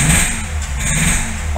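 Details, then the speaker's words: Fiat Strada Locker misfiring badly and noisy when revved: rough running with a hollow marble-like knock that sounds like a rod knock from the lower engine but is actually a damaged head gasket. "isso aí pessoal dá a entender que é o motor que tá batendo biela parte de baixo do motor Tá mas não é então tem que tomar cuidado para fazer um diagnóstico para não fazer um diagnóstico errado aí né é a junta ali do cabeçote aqui que danificou pessoal"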